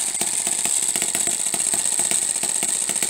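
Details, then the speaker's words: Homemade miniature 4-stroke hit-and-miss engine on Coleman lantern fuel, unloaded: quick crisp ticks keep an even beat as it fires and coasts while the governor locks out the exhaust valve; normal hit-and-miss running. "if i if i put a load on the engine you will hear it start to fire more often so so so you can hear it fire and then coast and uh looking right through here you can see that little governor expanding and that's when it it locks out the exhaust valve"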